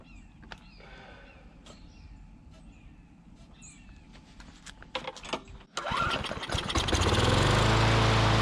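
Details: Curbside Briggs & Stratton Classic push mower engine; owner thinks debris in the fuel pickup tube cleared, and after a pull start it settles into a steady, even drone on its own fuel with no misses. Normal running.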